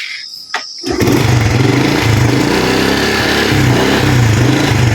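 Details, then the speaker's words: Honda Blade 125 injection with lost ignition, fault traced to the ECU, kick-started after refitting the plug cap: a click, then the single cylinder catches at once and settles into an even, steady idle; starts and runs cleanly. "Nah, motornya hidup teman-teman, tidak ada sama sekali berebut ya, jadi tarikannya itu enak. Dan juga motornya itu langsam."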